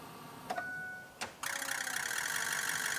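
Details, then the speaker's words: 6.0 Powerstroke diesel farm truck, key cycled on while raising fuel pressure: a couple of clicks, then a steady high electric whir with faint buzz as the lift pump primes normally; no leaks, MAF and IAT codes expected. "And actually, right now, it'll throw a mass airflow code and an intake air temp code, but I can cycle the key on. I can hear the lift pump running. I do not see any leaks."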